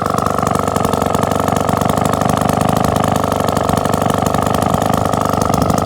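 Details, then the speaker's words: 1954 Atco Midget kick-start lawnmower, Villiers 83-86cc two-stroke, restored then displayed and stored, first start in over 10 years, no carburettor work needed; crisp, even beat at steady speed, no misses or surging, a bit smoky; normal running. "little tiny 83 86 cc videos engine no carburette work required ticking away look at that that a little thing of beauty"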